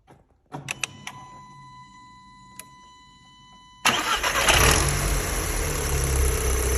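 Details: Audi TTS 8J: starter whirs briefly, then the engine catches into a loud, busy idle with a fast clattery rattle underneath; cause unclear.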